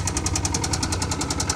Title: Terrible rod knock